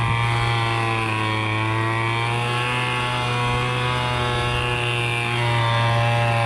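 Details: MTD Bolens BL125 two-stroke leaf blower after carburetor repair and adjustment, previously bogging and not starting: steady even buzz at constant throttle with no stumble or surging; running cleanly.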